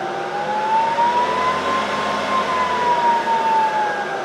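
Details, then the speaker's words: Bridgeport mill head at high speed without the spindle engaged: even motor and belt hum with a clean whine rising with speed and no knocks. The drive is normal; the noise appears only when the bent spindle is engaged. "there's nothing wrong with it everything is running just fine"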